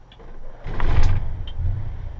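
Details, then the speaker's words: RV generator starting after replacing a blown 5 amp fuse for the auxiliary battery switch solenoid: quiet click, then low rumble catches and settles into a steady run; normal start. "We got lights on, lights off, lights on, lights off, on, so we ought to be able to fire the generator"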